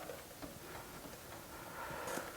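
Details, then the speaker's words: Steering linkage rocked by hand: faint irregular clicking from a loose, worn 11/16 tie rod end; other side also worn, to be replaced. "I don't know if you can hear that clicking noise that's actually loose here uh that's that's worn"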